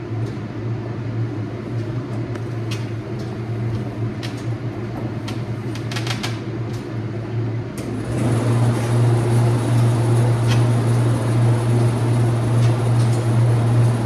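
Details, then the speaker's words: Used HRV unit, pressure-washed after chicken-barn service, installed in a bee wintering room held near 45°F as a continuous minimum air exchange: switches on into a loud steady low drone and whir; noisy but normal. "It's a noisy thing."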